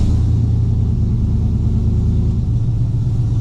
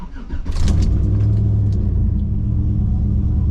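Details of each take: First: Cammed Gen 3 V8 on a tune reverted to stock 2004 Yukon except base running airflow: steady, deep, even rumble held well above normal idle, never dropping back; high idle, cause of the open throttle not yet found. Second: Gen 3 V8 in a driveway, after loading a new tune file with HP Tuners throttle cracker adjustments, still cold: engine catches and settles into a steady, deep, slightly lumpy idle, no knocks or misses; normal idle.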